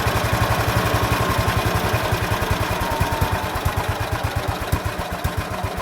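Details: Ransomes MG5 crawler built about 1949, just revived with the magneto refitted: slow idle thump about seven beats a second turning ragged and uneven; poor idle that needs adjusting.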